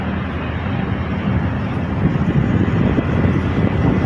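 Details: Electric fan revived after water immersion, reassembled, running on speed 1: steady, even whoosh of air with low motor hum, no rubbing or knocking; runs normally.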